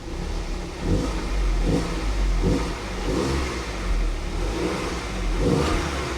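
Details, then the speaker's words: 2010 Audi Q5 Premium Plus direct-injection engine running despite a low oil pressure warning: smooth rev blips rising and falling cleanly from idle, no top-end tick or knocking; engine sounds fine. "sounds fine it sounds fine I don't even hear a top engine tick nothing it sounds absolutely fine"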